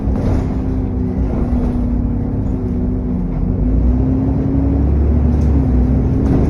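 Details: SN61 DDE E210 on a dead run back to MB: steady low roar under way with a constant mid-pitched whine riding over it, cooling fan thrash and turbo whine.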